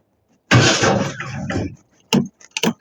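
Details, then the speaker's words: 1953 Ford Customline with a 350 engine swap and a rebuilt factory-type starter, after a new intake gasket. Brisk, fast cranking, then short bursts as it tries to catch. The starter is healthy; the engine has known rust issues and may not idle perfectly. "So, that sounds quite normal and fast like it should be."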